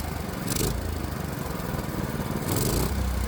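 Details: Predator 212 engine after swapping in an adjustable H60 carburetor with a working governor; a steady, even single-cylinder drone with no hunting or surging and two brief speed lifts. Running cleanly and normally.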